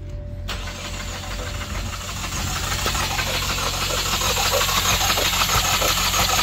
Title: 2016 Ford Focus 2.0l Engine compression testing inspection video showing cylinder 2 no compression